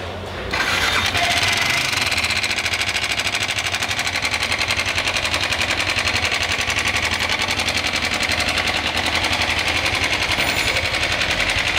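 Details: Yamaha R15 engine with a cylinder kit installed only 50 km earlier; fast, light metallic clatter at about four ticks a second over the idle; timing chain rattle from a slack chain.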